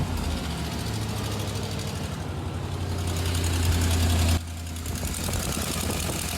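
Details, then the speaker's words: Orange Suburban at idle after a manifold repair attempt: fast, uneven puffing tick about three per second over the low rumble; exhaust manifold still leaks badly. "god damn it that sucks yeah that leaks like a sieve that sucks"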